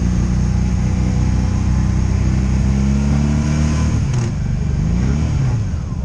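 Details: 2002 Honda Magna VF750C, warmed up, on its first non-stop test ride after it previously died in gear: clean pull through the gears with smooth rising and falling revs under load, no misses, ignition cuts or bucking; smooth running.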